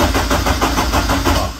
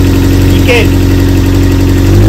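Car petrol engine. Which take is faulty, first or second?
first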